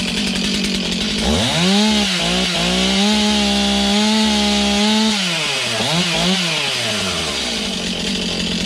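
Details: Stihl MS291 chainsaw, bought used online, just serviced; catches after sputtering, revs to a steady high buzz, blips and drops back cleanly: strong, even running, no misfire.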